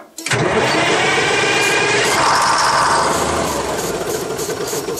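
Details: 1968 GMC water truck with Detroit Diesel 6-71, cold first start of the season: long ragged cranking on starting fluid at full throttle, uneven firing that catches and fades; air in the fuel system because low fuel on a grade kept the pump from picking up.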